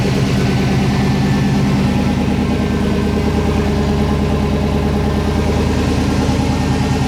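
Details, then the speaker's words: 2007 GMC Sierra Classic with freshly swapped LS V8, first start with codes present: steady fast idle held around 2,000 rpm, never settling until codes cleared. "when I'd crank it, it'd go to about 2,000 RPM, kind of sit there and uh would never come down."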